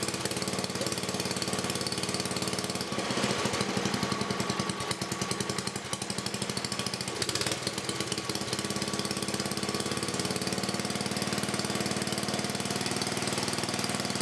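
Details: 1984 10HP Briggs and Stratton single-cylinder engine after a rebuild with new rings and gaskets and reseated valves. Rapid, even popping at a steady speed with no knocking or misfires; it runs properly.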